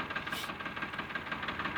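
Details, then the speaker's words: Diesel tractor after bleeding and retightening the injector pipe: uneven, lumpy idle with a hard knock about ten per second and a stumbling beat; no change, still firing on two cylinders, nozzle to be removed next; misfire. "इसका sound वैसा का वैसा ही है मैं निकल रहा है दो सिलेंडर इसमें हमें कुछ फर्क नजर नहीं आया"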